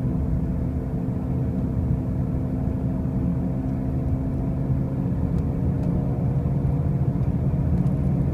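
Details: 2005 Pontiac Grand Prix with brand new wheel bearings and new tires: a constant deep droning rumble at road speed that swells slightly as it goes on; a loud driving noise, source not yet pinned down.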